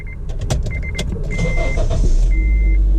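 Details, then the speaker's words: Honda Element VTEC engine starting after aftermarket belt parts were replaced with OEM Honda parts: clicks and a dash chime, then a smooth even run with no belt squeal. "No noise, no squeaking, absolutely nothing. Just a beautiful VTEC engine purring in the nightlight."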